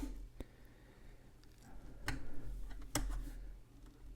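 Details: Montgomery Ward Airline GEN-155A receiver for the GEM-1983B remote flip clock, set to auto and triggered by the alarm: a few sharp isolated clicks in a quiet room, relay snapping over as it switches on normally.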